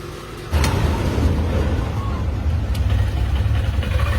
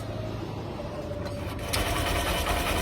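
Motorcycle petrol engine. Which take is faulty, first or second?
second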